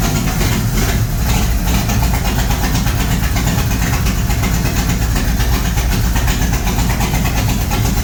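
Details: G-body Monte Carlo SS with LS stroker V8, after fire, first start: loud steady low rumble with even beat, no knocks or ticks; healthy idle, no leaks.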